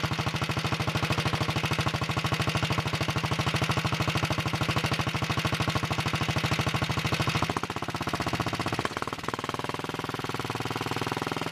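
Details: 1961 Wheel Horse model 401 garden tractor single-cylinder engine, cold start on full choke after setting point gap: steady even putter, no misses; smokes a little on throttle; kill switch doesn't work.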